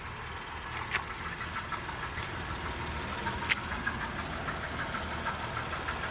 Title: 2011 Acura MDX rattling noise